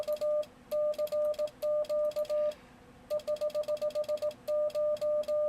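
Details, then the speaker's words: Yaesu FTdx10 transceiver in CW mode with full break-in: a steady keying tone in Morse elements with a faint click at each start and stop. This is the transmit/receive changeover relay chattering on every element. "you hear that relay chatter there's a relay in there that's switching the radio between transmit and receive for cw mode"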